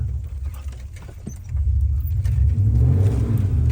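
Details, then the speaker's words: Red Dodge Dakota, previously misfiring under load: deep rumble swells smoothly revved hard in reverse with tires spinning, pulls clean, no stumble or misfire. "so I revved it up and it ripped on it and before it would have misfired like crazy right there it does not seem to be misfiring anymore"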